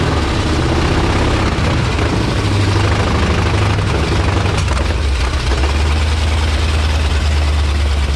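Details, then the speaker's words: 1977 International Scout II V8 with no exhaust, first proper run after restoration: loud, deep, steady rumble with an even beat, no misses or knocks; motor healthy. "there you go this thing's finally running again sounds great i knew that motor was going to be healthy"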